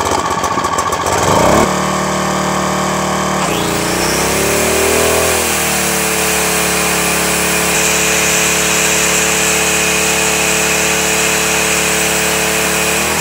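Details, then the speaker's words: Firman 1050 80cc generator that wouldn't start, after carburetor cleaning and pilot jet enlarged from 0.0145 to 0.016 inch to cure idle surging. Cold engine on a cold day settles into a fairly steady idle with slight hunt, probably due to the cold. "that sounds a bit better now you'll notice that not only did I test the machine under idle but I also tested it under a load using just an angle grinder there plugged in"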